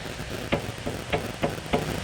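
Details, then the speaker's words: Ram 2500 5.7 Hemi, 125,000 miles, owner suspected Hemi tick: front sway bar struck gives five sharp metallic clunks about a third of a second apart from one side only; worn sway bar link, bushings also possible. "so now these are uh what do they call these sway bar links i want to say okay from time to time they'll fail"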